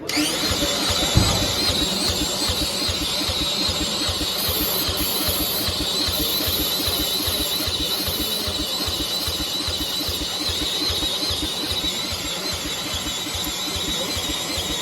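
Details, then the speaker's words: Gravely Rapid tractor with a suspected dead battery, cranked with a drill. Uneven whirring cranking for fifteen seconds never fires: no spark because the new plug's electrode was bent and the gap closed; the plug was a different part number and slightly too long. "it just didn't make sense that we didn't get one pop out of this thing and we took the spark plug out the brand new spark plug and the electrode was bent and the Gap was closed and it was touching you know there was no Gap"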